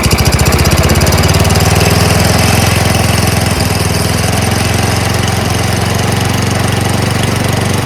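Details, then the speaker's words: Yard Machines MTD 824 two-stage snowblower, 8 hp Tecumseh Snow King single-cylinder: chugs at fast idle with a slightly uneven beat, runs only on choke and stalls at mid choke; dirty carburetor, compression also suspected weak. "runs on choke yep the minute I put it to the middle it wants to uh stall which means carburetor is dirty but it runs"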